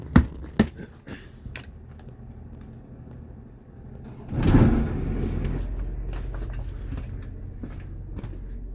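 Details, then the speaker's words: Dometic RV roof A/C, about six months old, after its loose blower wheel was fixed: some handling knocks, then the fan spins up to a steady, even whoosh with no rubbing or scraping. Normal blower operation. "well it's definitely a lot quieter we'll go upstairs well it's not noisy anymore i mean it's noisy but it's not rubbing anymore i think we got it"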